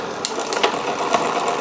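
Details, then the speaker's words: Wilier GranTurismo road bike, Campagnolo drivetrain, after strip-down service: light, rhythmic ticking about twice a second as the chain turns, shifting struggling; rear derailleur cable tension too low, quiet once pushed up. "It needs a tiny bit more, you can just hear that struggling. Push it up, it goes quiet. That means you need more cable tension basically."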